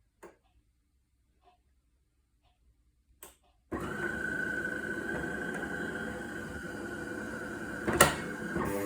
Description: Problem buzzing noise followed by steady red '!' light and flashing green cup lights on DeLonghi Magnifica start up/cool down.